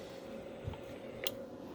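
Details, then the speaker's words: RM Italy KL203p amplifier with President McKinley CB on a dummy load, 50 element fitted, preamp on: soft hum with a couple of brief, sharp relay clicks on keying, under 10 watts; normal engagement. "can hear a little relay click in. And it's not too much."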